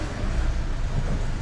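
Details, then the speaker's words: Alfa Romeo MiTo after clutch and failed dual-mass flywheel replacement, pulling away in first gear: low, even engine rumble with smooth loading and no judder, rattle or clatter; normal drive-off. "absolutely perfect and there you have it that is one clutch replacement on an Alfa Romeo Mito"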